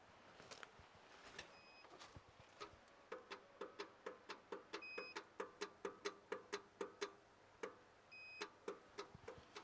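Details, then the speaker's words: Doosan diesel excavator that had sat a while, no-start: sharp dry clicks about twice a second from a relay, with no cranking. No power is reaching the starter, not even a click there; the relay or solenoid is suspected. "we're not getting any power to the start there right so we're not getting anything from the start there whatsoever at the minute not even a click"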